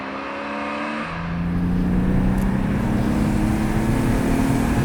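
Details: BMW 320i E36 with M50B20 inline-six, stock apart from a new intake filter, ex-automatic now manual: smooth idle climbing into a clean, even rev with a steady rising tone, no knocks or misses; healthy six.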